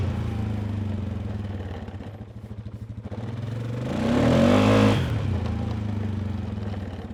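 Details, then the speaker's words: 2019 Polaris Sportsman 570 X2 before rebuild, cold, throttle blipped: lopey idle, blips up and drops back with loose clattery edge, smoke from exhaust beyond normal cold white vapor; worn top end burning oil, needs rebuild. "That's not great. So obviously she needs something done in that engine."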